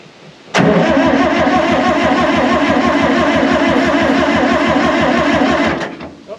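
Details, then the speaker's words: 1960 John Deere 440 backhoe, supercharged two-stroke Detroit 2-53 diesel, sat for years, previously seized; cranking to prime fuel pump. Starter churns about three strokes a second for five seconds, never fires: cranks but won't start, fuel not reaching engine. "if we can give it a couple sniffles to try to get this fuel pump working before we completely burn our battery up and burn our starter up we're going to try to do that"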